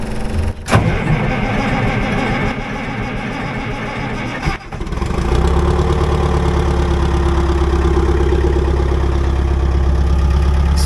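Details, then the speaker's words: Old budget excavator, after months of fuel issues, fuel pump on: cranks a few seconds, catches cleanly and settles into a steady, even, smooth idle with no stumbles; healthy start and idle. "so good it's just like I shut it off it does run smooth all right just let an idle there for a few minutes"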